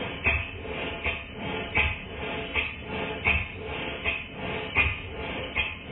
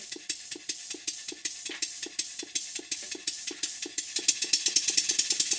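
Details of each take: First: Model steam engine for a Stewart 504 boiler plant, after valve timing changed to admit steam just before bottom dead center; soft, evenly spaced exhaust beats, roughly eighty a minute, no stumbles, more powerful and faster: healthy even running. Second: Model steam engine for a Stuart 504 boiler plant on its first run on air in the workshop. Sharp, even beat about 140/min with hissing each stroke. Valve timing is wrong; piston rod gland and a drain are also blowing slightly.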